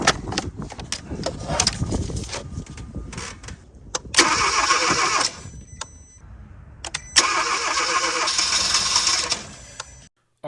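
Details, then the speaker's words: 2015 Kia Forte 1.6L turbo no-start, cranked with the rear fuel line disconnected into a water jug: a short, ragged catch that never settles. It fires only on leftover fuel in the line, with no delivery from the fuel pump. "that's because there was some remnants of gas when I remove that hose still in the line that's the only reason it started or tried to start for that brief second"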